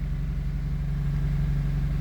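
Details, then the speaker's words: 2003 Honda CR-V, 334,000 km, after replacing the fuel pump relay that caused crank-but-no-start and stalling: steady, even low idle rumble with no misses, knocks or stumbles; normal idle. "so this car has already 334 kilometers but it's still running right bye"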